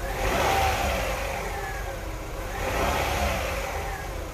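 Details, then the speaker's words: Petrol engine revving cleanly twice with no lag and instant acceleration after the fuel pressure regulator was replaced; the old regulator had stuck particles inside and caused misfire at low rpm. "with the new fuel pressure regulator there is no lag and instant acceleration on the engine"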